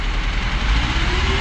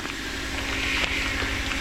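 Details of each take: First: Tofaş Şahin after clutch repair (failed release bearing, broken gearbox guide tube replaced): steady low engine rumble, even firing, no knocks or grinding; normal running. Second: Tofaş Şahin that won't shift or disengage, engine running: uneven rattling clatter that changes as the clutch pedal is pressed; clutch release bearing has broken up and the clutch guide tube is cracked, before replacement.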